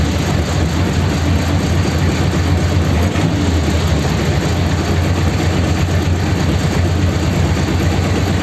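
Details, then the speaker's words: 286 cu in flathead (3-3/8" bore, 4" stroke) Pendine beach race car, first start after rebuild and fresh oil: steady, even low rumble at raised fast idle, no knocks or misses; runs okay. "that sounds a bit more like it fast idle get the oil splashing about inside"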